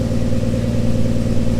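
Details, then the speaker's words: 1955 Chevy 3600 three-quarter-ton truck, 235 straight six (likely 1951 block), after carburetor rebuild: firm, even low idle beat with no stumbles or clatter, a little smoky from oil added to cylinders; healthy idle. "it actually sounds really good a little smoky but I put a lot of in the cylinder so I'm not surprised by that"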